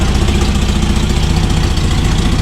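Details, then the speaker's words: Toyota RA40 22RE running in freezing cold after the cold-start fix: fast, sharp ticking that keeps pace with a rough low idle; loud exhaust leak where a mismatched Corona/Celica exhaust was forced together. "the only thing we have for salt is the exhaust you can hear that ticking really loud there's a mad exhaust Li that's because when we built this thing the exhaust was literally just part Korona half salika and we smashed the salika exhaust into the c"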